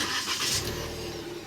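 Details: Proton Saga VVT after replacing the battery (warning lights had been flashing, battery suspected): quick crank, engine catches cleanly and settles to steady idle; normal start.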